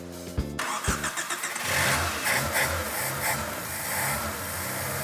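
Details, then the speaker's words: Honda CRX, 5-speed, 131,000 km, stored 10 years in a garage, with new oil, cold start using choke: a few cranking turns, then fires to an even idle with no knocking or stumble; starts clean and healthy. "Tu sais, il n'y a pas un claquement, là. Tu sais, ça dort, là."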